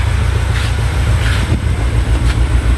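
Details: Peugeot 807 with EW10 engine, check engine light and anti-pollution fault: deep uneven idle stumbling every second or so, one-cylinder misfire traced to faulty injector.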